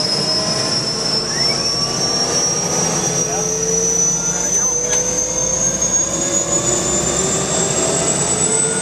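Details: UH-1 Huey turbine engine start after rebuild: smooth, steady high turbine whine slowly climbing in pitch with no surging or rough spots; a healthy turboshaft run.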